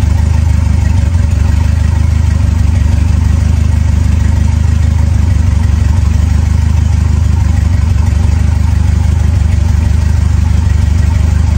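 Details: Ford 2.3L turbo Lima engine swap on a newly installed PIMPX batch-fire engine management computer, idling after its first start: deep, steady low idle at about three and a half beats per second, with no misses or knocks; normal idle.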